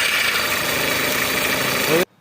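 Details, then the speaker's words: Skoda Rapid (VW Vento): harsh hissing rattle with thin high whine from the front belt area, engine running; worn belt tensioner, fixed by replacing it. "చూసారు కదా ఈ vehicle అనేది ఎంత belt దగ్గర ఎంత noise వస్తుందో అది మీకు లైవ్లో క్లియర్గా చూపించాను చూడండి. అయితే ఇది ఎందుకు ఇంత సౌండ్ వస్తుంది అనేది మీకు చెప్పడం కోసమే ఈ వీడియో చేశానండి."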